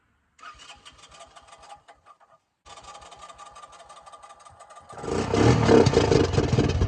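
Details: 1984 Honda 200M barn find after many parts replaced and new fuel line with filter: cranks, catches, settles into steady even idle and revs cleanly; single runs healthy.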